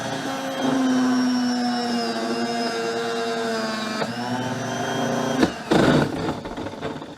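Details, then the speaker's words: Myteelite II 8070 carpet extractor, nearly 10 years old: vacuum motor gives a high whirring, wavering, rough, uneven-pitch sound; worn vacuum motor, to be replaced. "Yeah, that sounds bad. So this thing is going on 10 years old, so it's probably about time that we replace that vacuum."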